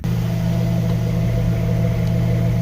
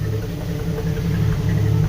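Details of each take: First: 1988 Jeep Wrangler YJ 4.2L straight six, after setting timing with a vacuum gauge and adjusting the carburetor, heard at the exhaust pipe: low, even, smooth monotone idle with no more popping or missing. Normal idle. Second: 1988 Jeep Wrangler YJ 4.2L straight six carbureted, automatic, idle raised from about 500 rpm: low idle surging over about two seconds with exhaust pops from over-advanced timing and a lean carburetor; vacuum low.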